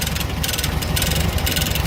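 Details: 1970 first-series VW Fusca (Beetle) air-cooled flat-four idling with a rough, uneven chuffing and a fast metallic rattle on top; the owner does not know the cause. Engine noise at idle.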